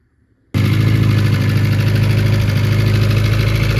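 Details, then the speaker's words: Honda Prelude engine just fired after rebuild with valve lash set, oil still reaching head: steady idle with faint quick tick; much quieter than before, mild valve tick remains. "Definitely a lot quieter than before. It's still a little bit of a tick."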